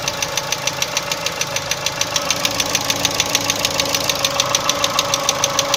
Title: Стук двигателя Chevrolet Cruze 1.6